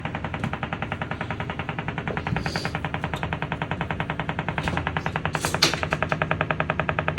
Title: Banging sound in wall #action #likes #views #view #likesforlike #share